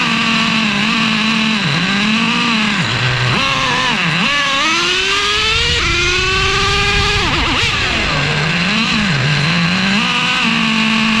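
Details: Traxxas Revo 3.3 nitro engine on first start after fitting a new THS Racing tuned pipe (stock header had cracked): shrill buzz revs and falls back unevenly, strained at the top. No exhaust leaks seen; it sounded fairly bad, owner plans to richen.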